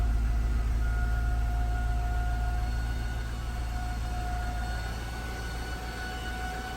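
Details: 2008 Jaguar XJ, original alternator failing: steady high whine with tones near 700 and 1400 Hz over engine drone, battery warning light on dash; alternator finally failed.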